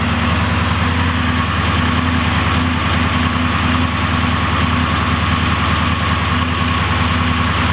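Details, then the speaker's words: 383 small-block Chevy stroker (9:1, flat-tappet cam, 650 Demon carb, HEI), still slightly cold, warming at idle on test: deep, steady V8 idle with an even lope, no knocks or misses; good oil pressure, responsive, runs well. "engine is extremely responsive runs extremely well"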